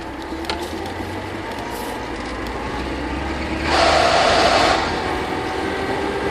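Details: VAZ-21043 pulling away: low rumble, then a high grinding whine rising briefly as speed builds; occurs when accelerating and when shifting into a higher gear, normal in second.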